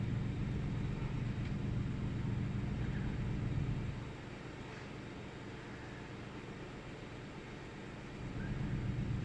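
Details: 1998 Ford Taurus SE V6 OHV at idle after being shut off about 10 seconds and restarted: low rumble fading and surging unevenly, intermittent rough idle with no significant change after the restart; cause not evident.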